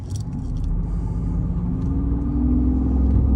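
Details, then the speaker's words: 2005 Mercedes CL600 V12 accelerating uphill after misfire fix (voltage regulator issue solved; previously firing on six cylinders with no power): smooth deep rumble building steadily, no stumble; water pump heard making noises. "in a just a very powerful luxury vehicle this V12 feels so different than the 55 it sounds different it feels different it's powerful but it's just a different kind of feel"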